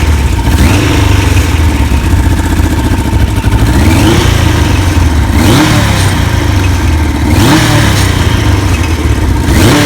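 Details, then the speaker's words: 1991 Kawasaki KZ1000 police bike, about 52,000 miles, 1000 LTD carbs, fresh oil, filter and plugs: uneven four-cylinder note stumbling and surging on throttle blips, never settling; runs rough and needs tuning; doesn't smoke. "so probably a good flywheel and everything it's running kind of rough you can go fine-tuning"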